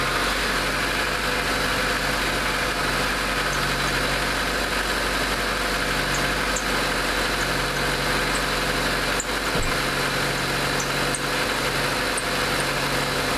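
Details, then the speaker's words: Mazda with P1345 no cam position sensor signal, warming to operating temperature with air conditioning on: steady idle with faint uneven flapping rumble coming and going underneath, a slightly loose drive belt. "got a little bit of a loose belt"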